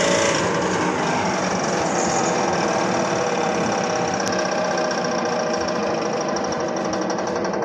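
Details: Blower running with a fast rhythmic knock of roughly four beats a second over a steady rush of air; abnormal rhythmic knocking, cause suspected but not confirmed.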